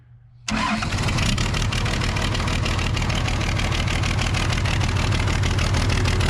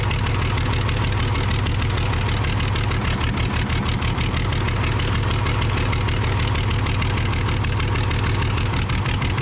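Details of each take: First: Case 855D loader, 12-valve 5.9L Cummins diesel, with fuel bubbling at the injector: catches after a short crank and settles into a steady, even diesel clatter at idle with no misses. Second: Case 855D loader, 12-valve 5.9L Cummins, idling with injector lines cracked open one at a time to find the dead cylinder: rough uneven chug, one cylinder not pulling; misfire from a faulty injector.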